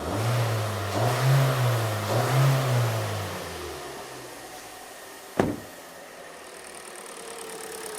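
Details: Hyundai Elantra that had surging, rough running and codes P0017 and P0301, after repair: the engine picks up cleanly on three quick revs and drops back to a smooth, even idle with no stumble or misfire.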